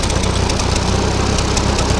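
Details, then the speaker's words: Ferguson TO-20 tractor with a 12 V conversion, after a new GM three-wire alternator with a diode/LED key-on exciter jumper was fitted and is charging. A short stretch of steady, even idle with no stumbles or misses; it sounds healthy. "But it's working, charging, and it sounds like it's idling better than ever now with this. So, that's a win."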